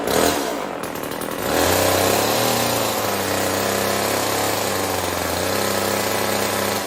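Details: Old Homelite chainsaw, owner guesses 1960s or 70s, cutting wood after reassembly: two-stroke buzz settles to a steady high, bogging slightly as it bites, holding speed cleanly under load; owner says it could run a bit better.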